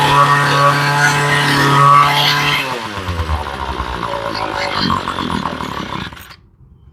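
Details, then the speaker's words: Ryobi ES30 two-stroke string trimmer after carb rebuild and new fuel lines: buzzes steadily, then pitch sags and it stumbles to a stop; runs only on choke, low-speed screw backed out a quarter turn to fix. "okay she runs with the choke but not without"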